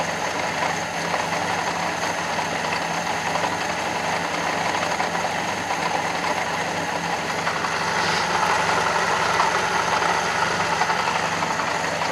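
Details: Fiat Panda 4x4 Sisley with a carburettor clogged by iron oxide dust: uneven, stumbling idle, smells of fuel, seems to fire on two cylinders, rich. Jammed float level was the cause; bending the float pin to lower the bowl fuel level fixed it.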